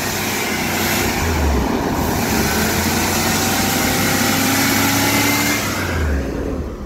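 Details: 1977 Chevy Corvette V8, running after a hard, flooded cold start was resolved: steady running with smooth throttle blips, picking up cleanly with no stumbling or misfire. Running and revving are normal.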